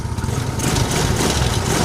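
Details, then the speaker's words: Carbureted Yamaha Mio Soul scooter after repair of lost-ignition fault (sent from another workshop, regulator already replaced): steady, even putter settling into a smooth idle with no misses or surges; normal idle. "Alhamdulillah sudah beres ya dan motornya enak ya, langsam juga enak ini."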